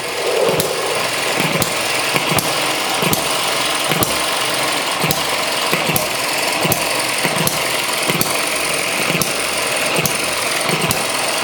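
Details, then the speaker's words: ET6 model hit-and-miss engine, running, showing torque with the governor working: sharp firing pops about twice a second over steady mechanical clatter, running evenly; normal hit-and-miss running. "whoa it's got some torque there we go now you can see all of the uh the governor working"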